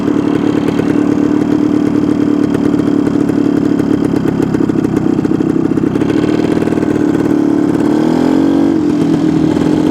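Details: 1972 Suzuki TS250 two-stroke, with the 170 jet left in for a fuel delivery problem: steady buzzing tone, picks up cleanly on a throttle blip and returns smoothly; sounds more responsive.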